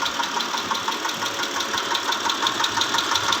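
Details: 2010 Mitsubishi Pajero, 6G74 V6, at idle: sharp, regular metallic knocks about three per second over a quiet idle; internal engine knocking.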